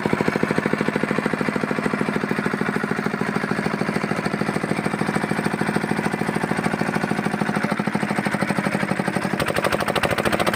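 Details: Fitter diesel engine pump after bleeding air from the pump: single-cylinder diesel thumping at an even, steady beat with no misses; running cleanly with fuel getting through.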